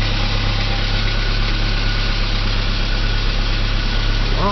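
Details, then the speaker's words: 1985 Saab 900 turbo started after oil pressure restored following oil pump and relief valve cleanout; steady low idle with a faint light valvetrain rattle that evens out and quietens as it runs. "hopefully when it starts up the rattling goes away Smooths out to where an engine supposed to sound like"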